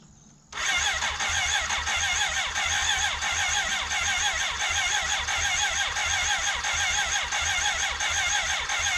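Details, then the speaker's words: 1991 BMW K100 LT (987cc four-cylinder, fuel-injected) that sat outside 10 years: steady, fast cranking for nine seconds without firing. Dirt in the cylinder-one intake and a sticking valve were found; it almost started over an hour of cranking. "we cranked on and off over the course of an hour it almost wanted to start eventually a vacuum cap blew off the cylinder one intake and a bunch of dirt blew out my face a valve was sticking"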